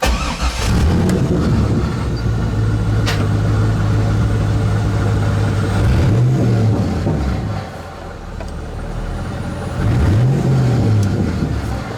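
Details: 2000 Chevrolet C5 Corvette started after full HVAC replacement and dash removal/reinstall: engine fires promptly and settles into a steady, even idle with a couple of clean blips; sounds healthy.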